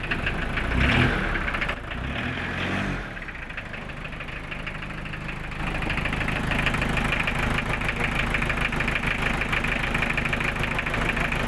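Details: Newly overhauled Toyota 2C diesel in a restored owner-type jeep, idling with an even, steady clatter and firm low rumble, no stray knocks.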